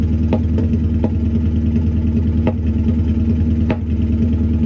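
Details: Lumpy idle from the twin-turbo V8 in a Ford Focus project car, first start after building a custom stainless exhaust; uneven beat with occasional sharp pops, a bit of a misfire.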